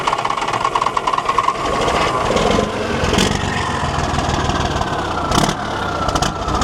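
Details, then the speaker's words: Abandoned 1973 Volvo diesel truck, first start after bleeding fuel system: rough, loud, unevenly stumbling beat instead of steady idle; misfire suspected from air still in the fuel lines, not confirmed. "She's got a bit of a misfire there at the moment, but that's probably just a bit of air in the lines. That'll come out."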